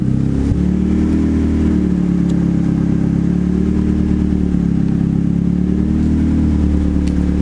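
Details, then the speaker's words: Turbo Mazda Miata idling after the MAP sensor vacuum line was reconnected; steady, even hum without hunting while the ECU auto-tunes at idle, which was later fixed by adding idle fuel in the VE table. Normal idle. "definitely looks a bit better. Oh, it's auto tuning right now, so at my idle."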